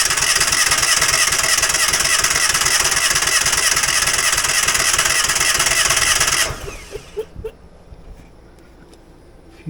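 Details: Falcon 4-stroke paramotor trike fitted with new NOCO NLP14 lithium LiFePO4 battery: steady fast cranking with an even churn about six seconds, never catches; cranks but won't fire.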